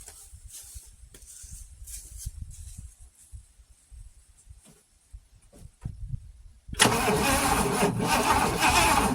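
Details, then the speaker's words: Oldsmobile Toronado that has been sitting, cranked with no fuel yet: starter spins engine with an uneven, lumpy galloping beat, some compression strokes heavier; an underpowered cylinder is suspected. "Alright, so you guys heard that? That's the gallop that I was concerned about. There's no fuel in here just yet."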